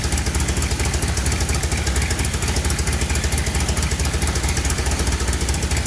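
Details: Rallygolf (VW) on first start after a 3-month rebuild with a new programmable ignition: rough, lumpy idle with a recurring stumble; one cylinder not firing, injector 4 circuit open with 0 volts on that channel.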